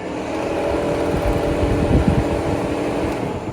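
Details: 1989 Corvette C4 TPI L98 idling, testing whether it holds about 185° after the $25 fan-switch mod (previously ran about 200°): steady airy whoosh from both radiator fans over a low idle rumble, no rattle or rub. Fans running normally.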